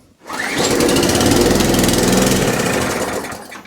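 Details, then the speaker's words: Mower engine, petrol in, fuel tank on, pulled on choke with some revs: catches and runs fast about two seconds, then dies; fires but won't keep running; owner suspects the carburettor and plans to remove and clean it. "okay so it fires off choke and that's as far as we're going so i'll turn the uh lift table around and we'll have a carburetor off give a carburetor a clean i dare say that's what's at fault"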